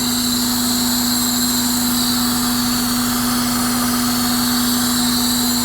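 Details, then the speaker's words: 2001 Honda Odyssey just after installing a short ram intake with a 3" filter, started with no check engine light: a smooth, even idle with a steady low hum and light intake hiss, no ticks or knocks. Normal idle. "let's take this take a look at this and this sounds a lot better honestly this actually sounds very good"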